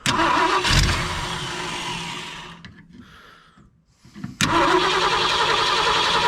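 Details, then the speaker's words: 1965 Ford Galaxie 500, first start after years sitting, running on supplied fuel: V8 catches and runs about two seconds, sputters out, fires briefly again; stalls as it runs out of gas. "out of gas. It's out of gas. Out of gas."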